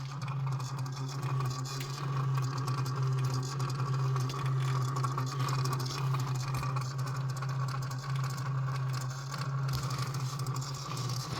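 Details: 2016 BMW X6 F16 after the engine is switched off: a loud, steady low mechanical whir with a light rattle lasting 2–5 minutes.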